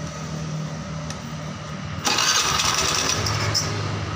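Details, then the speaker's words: Honda Beat injection scooter just after an engine rebuild (bored to 50 oversize, bearings replaced), first start: engine catches and holds a fast, busy idle that never drops, rear wheel spinning too fast; idle set too high, idle screw around 3 turns out. "Ini motornya udah hidup ya teman-teman, tapi di sini dari rodanya itu kelihatan perputarannya cepat banget ya."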